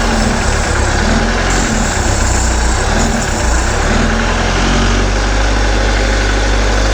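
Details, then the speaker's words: 1976 MerCruiser 120hp in a Starcraft boat during winterizing, revs raised slightly above idle while fogging oil is fed into the intake: steady low drone, even and unbroken; running smoothly. "we're going to take the RPMs up just a touch higher so it can drink some more of"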